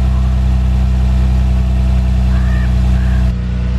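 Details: Manual Lexus IS300 inline-six with 169,000 miles, engine about to be swapped into another car, at settled idle: steady, even low rumble with no knocks, misses or rattles; normal idle.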